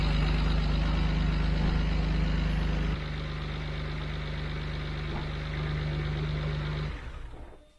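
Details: BMW 335i at idle after drive belt and pulley replacement: steady low engine rumble with an even beat around three to four per second and no belt squeal or chirp, a smooth healthy idle.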